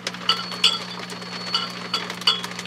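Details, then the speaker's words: HP 400H AC voltmeter, 6CB6 tube being tapped: sharp taps each followed by a high steady ringing or squealing over mains hum. The tube is microphonic, though tapping may just induce vibration; a replacement 6CB6 is needed to confirm. "the next six cb6 is located here and that's microphonic also but we turn this down again to stop that squealing"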